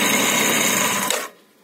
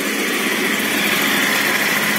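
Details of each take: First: кто там не спрашивал что это за звук одолжишь это звук обгонной муфты когда немножко в обратку бьет как двигатель практически завершился Second: Scooter at idle with a whine that persisted after a rebuild. A steady high squeal with gritty grinding rides over the idle; the owner suspects bearing noise, not confirmed.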